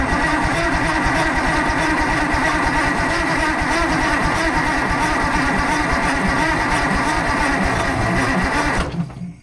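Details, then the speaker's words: Fiat-Allis 645B loader diesel, first start attempt after long sitting, fuel pushed up to the pump with air pressure: turns over at roughly three strokes a second without firing, then peters out as the jump pack runs flat; slow cranking from a weak jump pack. "I think our poor jump pack might be dying. Yep. We're going to have to put a little something extra on here."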